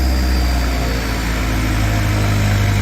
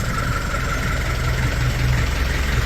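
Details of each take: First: Diesel at idle with muffler pipe rerouted between the upper control arms, before new extractors; steady chug with faint turbo whistle, tappets a bit rattly up top; normal diesel idle. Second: Car with a rerouted muffler running between the upper control arms: a steady low idle rumble with a faint thin whistle at constant pitch on top; whistle at idle, cause unknown.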